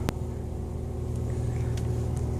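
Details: 2005 Pontiac Grand Am after waiting out the 10-minute blinking security light that caused a no-crank, no-start: engine now starts and runs with a low, steady rumble, no tapping, misfire or whine.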